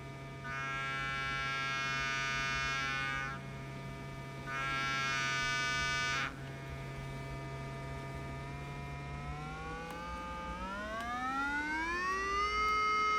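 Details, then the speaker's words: 1968 Sears Silvertone console stereo amplifier fed a sine wave from a function generator into a speaker: the tone sounds harsh and buzzy, flattened even as pitch rises. Hard clipping at a fixed peak-to-peak. "It I mean there's a hard clipping like there's a voltage limiting problem. I mean, you could see that that's it. That the peak to peak is is fixed."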